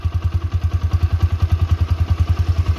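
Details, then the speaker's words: Original 2009-2010 Honda Mega Pro Primus, 29,000 km, sealed factory engine, idling after electric start: an even, steady single-cylinder thump with no ticks, rattles or odd noises. A smooth, healthy idle. "mesin halus banget teman-teman bisa dengerin tuh gak ada suaranya apa-apa kelebihan dari si Megapro ketimbang Tiger itu di sini teman-teman jadi untuk stasionernya itu nggak ada suara yang aneh-aneh"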